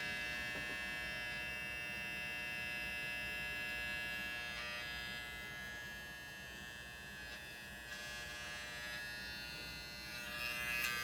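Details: Failed 8TB Seagate hard drive: loud, steady electric-razor buzz with high whining tones and no clicking or spin-down; the drive failed unexpectedly and the data was not recoverable.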